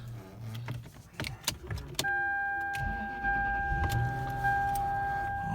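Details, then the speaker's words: 2006 Lexus LS430, 83,333 miles, cold start around 40°F after freezing night: clicks, clunks, then steady electric motor whir as the power mirrors fold, rather noisy; normal mirror operation. "You could hear the power mirrors folding. They make kind of a racket."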